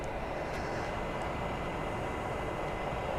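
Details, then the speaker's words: Air-cooled Porsche 993 Carrera 4S, turned on about 5-10 minutes earlier: soft, even whooshing whir with no rhythm, knock or rattle as it cools down after shutdown. "So I actually did turn this car on about 5-10 minutes ago, and that's it cooling down basically."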